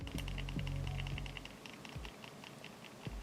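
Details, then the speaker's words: Logitech G302 mouse shaken side to side with buttons held in, after 9 months of use. Light plastic ticking about four per second from a loose sensor, less bad than a G303. Sensor rattle. "it sounds like there's a rifle in this one too which is funny because I used it for a solid 9 months and didn't notice it it's nowhere near as bad as the g303 that I had"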